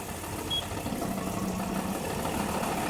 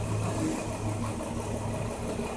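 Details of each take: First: 2005 Nissan Murano with a misfire but no fault codes, scanner disabling injectors one by one to find the bad cylinder; quiet, soft idle with no stumble or missed beat, runs evenly; normal idle. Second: 2005 Nissan Murano, misfire with no check-engine light: idle turns uneven and lumpy when scanner disables injector number 2, showing that cylinder fires properly; injector cut-out test to find the faulty cylinder.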